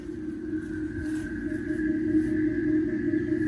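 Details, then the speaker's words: 2021 Jeep Wrangler 4xe plug-in hybrid in reverse, rear pedestrian warning speaker active (front off; system runs under 20 mph): soft steady ocean-like whooshing hum with a faint pulse about four times a second; normal operation. "ike anytime you're under 20 miles an hour that speaker is going to be active anytime you go over that 20 miles an hour that's when it'll cut off now when we go to reverse it does turn the front speaker off and turns the rear speaker on"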